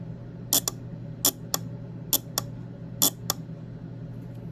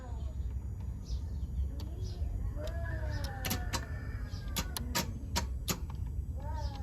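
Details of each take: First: Relay bench-tested with a 9-volt battery across its coil terminals: four crisp paired clicks about one pair per second over a low hum; the relay pulls in and releases cleanly, showing it activates. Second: Starter jumped via relay terminals 30 to 87 with a jumper: sharp irregular clicks, about a dozen in ten seconds; starter clicks but does not engage or crank after cranking once.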